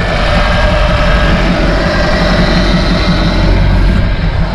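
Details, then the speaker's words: 2000 Bayliner Capri 1952 engine on a windy-day water test under load: deep, steady drone holding even over wind and water rush, no misses or knocks; no overheating, oil pressure good; motor sounds healthy. "Did not overheat. Oil pressure's still good. It is nasty out here though. Motor sounds good."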